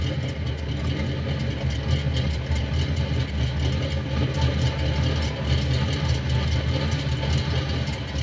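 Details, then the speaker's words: Chevrolet Monte Carlo at the tailpipe after an intake swap: a low rumbling V8 idle with an uneven, choppy sputter absent before the swap. A vacuum leak was suspected, but checks found none, including at the modulator. "I don't know if you can hear that [Music] it never spotted like that until I swapped the intake"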